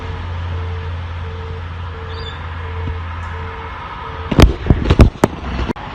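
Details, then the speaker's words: Optus ADSL copper phone line with no dial tone, tested at the lead-in cable at the front of the house: steady low hum with short beep repeating about twice a second, then handling clunks; engaged signal proves network fault, not internal wiring. "got my all right connected to here and i'm going to try and give you so if you can hear the um engage signal through my little microphone"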